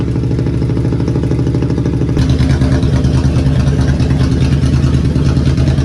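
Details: 2003 Ford Police Interceptor V8 after Cal-Van spark plug thread insert repair, started cold with low battery: steady, even idle about three pulses a second, no stumble; long-standing misfire gone, normal idle.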